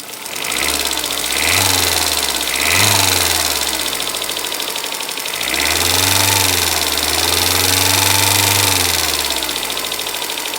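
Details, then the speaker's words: Freshly rebuilt Toyota Corolla 4ZZ after tightening the timing chain tensioner, chain noise gone: quick light ticking over idle speeding up with throttle blips; valve lash incorrectly set, some clearances too tight, others too loose. "Это из- за того, что шум от цепи исчез, но, похоже, механик неправильно отрегулировал толкатели, потому что я только что измерил несколько клапанов. У некоторых слишком тесно, у других слишком большой зазор ."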